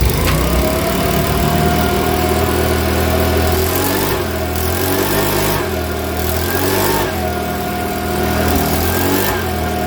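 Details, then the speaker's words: Makita BHX2500 four-stroke leaf blower after valve clearance check and timing work, running: steady small-engine drone that sags and stumbles about every 1.5 seconds, still spluttering slightly, not clean; not backfiring. "now that starts up don't get me wrong i think it i'm not happy with it spoiling a bit still but you can still hear it"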